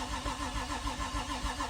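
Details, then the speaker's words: Nissan Skyline R33 RB25DET after an engine rebuild, cranked on the starter with a battery booster and coil packs unplugged to prime the oil system. Steady starter whir with even compression pulses and no firing while oil pressure rises; normal cranking. "It turns over. We'll show you, kids, just so you to believe us. Ready? Electricity. Oil pressure's going up."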